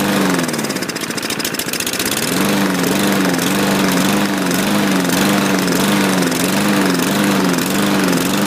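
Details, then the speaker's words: Craftsman walk-behind mower with the MyStride pace control system, bought used: small engine warbles and surges about four times a second instead of holding steady; owner thinks it needs a carb clean. "i didn't do that when he started it sounds like uh needs a carb clean"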